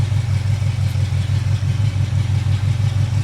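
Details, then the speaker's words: Chevy 350 V8 during valve adjustment with valve covers off: steady even low idle, soft regular pulse, no ticking or tapping; valvetrain extremely quiet; normal idle. "And as you can hear right now, it's very, hopefully you can hear it, it's very quiet. This valve train is extremely quiet."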